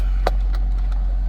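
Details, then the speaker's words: 2007 Nissan Versa after fuel pump replacement (assembly with built-in pressure regulator, replaced for hesitant cold starts): smooth, steady low idle with no pump whine or hum and a light tick; the new pump is inaudible, unlike the old one. Normal idle. "well it appears to be working man i could hear the old pump i couldn't hear this i can't hear this one so i guess that old one was going out"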